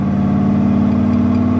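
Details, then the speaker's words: 1966 Corvette Stingray, 425 hp 427 big-block, side pipes possibly glass packs, after sitting 15 years and shop repair: deep, even speedboat-like V8 rumble, steady beat, no knocks or misses; normal idle. "A friend of mine stopped me because that thing sounds like a speedboat with a V8 in it. The rumble of its idle."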